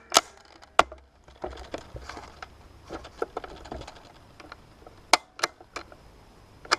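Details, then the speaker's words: G&G L85A2 (SA80) airsoft rifle after spring change, in semi-auto: quiet scattered sharp clicks with no motor spin-up or shot; trigger clicks but never cycles, a known L85 semi-auto fault said to involve gearbox gears; switching to full auto makes it fire. "so you hear that now it's clicking this is a common problem with the LED 5s and airsoft apparently so it clicks like that and you're in semi-auto just flip the full auto and it's something to do with the gears in the gearbox"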